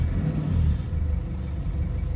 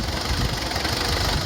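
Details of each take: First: 2004 Mazda B2500 diesel after fitting a Synergy 4 tuning box, engine still a bit cool and running on 50/50 diesel and vegetable oil: low, even rumble with steady tick-over, no misses or knocks; normal idle. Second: 2004 Mazda B2500 diesel idling on a vegetable oil and diesel blend, before a Synergy 4 tuning box is fitted: an uneven, lumpy knock with a wobbling beat. The rough idle is attributed to the vegetable oil fuel blend.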